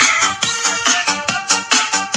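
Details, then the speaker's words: Small Bluetooth speaker after repair, owner complained of distorted sound; dented speaker cone pushed back into shape: music plays clear with crisp highs, no buzzing or crackle on loud notes. Clean speaker output; distortion returns if pressed. "Nawala yung basag niya."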